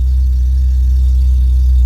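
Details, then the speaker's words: Mk2 Golf VR6 after alternator replacement: starts much better, short steady low idle with even drone and no ticks, stumbles or hunting; running issues apparently caused by the alternator; normal idle. "Okay, that may have solved the issues cuz it's that started up a lot better than it has ever done. And the revs are actually nice and smooth as well."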